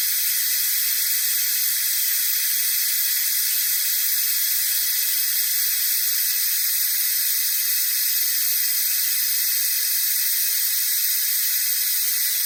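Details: Jeep YJ cooling system vacuum-tested with a shop-air venturi vacuum bleeder aiming for about 25 inHg; steady, even high-pitched hiss with no pulsing or sputter, bleeder pulling vacuum normally; the system later failed to hold vacuum, indicating a coolant leak.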